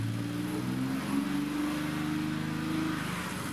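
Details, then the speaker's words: BMW E30 Touring, tested with throttle cable disconnected after new engine and fuel supply parts, second half of exhaust off: revs rise and fall cleanly with no stumble or hang, idle no longer creeping up; smooth revving. "it seems to be revving up much nicer than it was before the throttle pedal or mechanism must be a bit"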